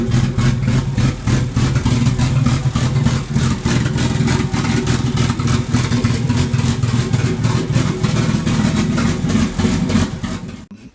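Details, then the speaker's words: Barra-swapped Mustang drift car idles very poorly with a stumbling, missing beat; AFRs pegged lean over 17, cylinder one reading 40% colder; misfire from a faulty injector and low fuel pressure. "fires up it idles but something is very much not right it is running very very poorly"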